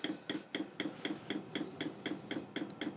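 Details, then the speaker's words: Chinese diesel air and water heater at start-up, glow plug drawing about 8 A: quick, even ticking about four per second as the fuel pump primes fast to light it; normal. "You hear it do a fast pump there to get it started."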